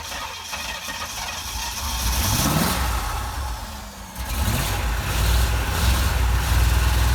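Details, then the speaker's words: 1987 Corvette after cylinders blown out with compressed air and plugs reinstalled, fuel had been flowing out: engine stumbles, catches and revs in uneven surges before settling to a lumpy idle; flooded engine just clearing. "'re just full fuel it's flowing right out this thing is definitely flooded let's blow it out with the air compressor"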